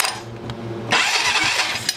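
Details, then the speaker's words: 2001 Polaris Sportsman 500 H.O. with a rodent nest in the head, starter jumped with the key on: the starter whirs and spins the engine steadily but it never fires; cause unknown, owner suspects a faulty intake boot. "okay i got to fire so you got to make sure the key is on when you do this but for some reason it just won't seem to kick over"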